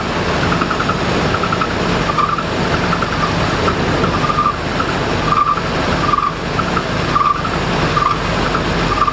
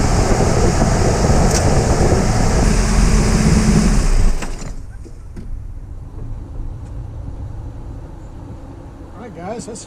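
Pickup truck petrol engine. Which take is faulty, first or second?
first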